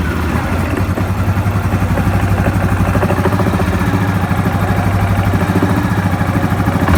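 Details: Yamaha Grizzly 700 ATV idling and revving with a steady beat and a rattly knock underneath from the CVT (variator) side; source not yet pinned down.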